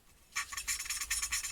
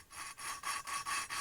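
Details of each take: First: Motorcycle engine valve being hand-lapped with fine compound and a suction lapping tool. Even bursts of fine hiss on each back-and-forth twist, with no gritty catches; smooth lapping, valve well seated. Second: Hand-lapping a CB250 exhaust valve with coarse grinding paste: gritty back-and-forth rasping, about four strokes a second, harsh and scratchy; the seat is still rough.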